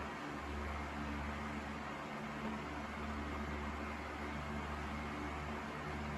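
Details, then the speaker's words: Sears 12-inch oscillating table fan 453.80120, freshly oiled, on high speed: steady airy rush over an even low motor hum, no scraping or ticking; runs smoothly, though a subtle head shake and vibration come and go. "Plenty powerful. Seems to run pretty good. Here's high speed."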